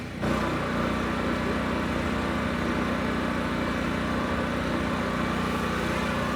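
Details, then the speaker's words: Generac LP3250 propane generator, about 7 years old, after regulator repair, started with choke off and no primer: catches quickly and settles into a smooth even drone, no surging or hunting; healthy, 119 V 60 Hz unloaded. "this thing fired right up and sounded good both loaded and unloaded so i'd say this one's done"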